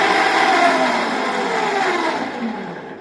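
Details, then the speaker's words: Small household water pump motor run directly after a body-earth check: loud rough whirring and harsh grinding roar as it runs down, caused by failed bearings. "तो अभी इसके अंदर जो problem जो बिल्कुल clear यहां पर समझ में आ रहा है कि इसकी जो बेरिंग है वह खराब हो चुकी है"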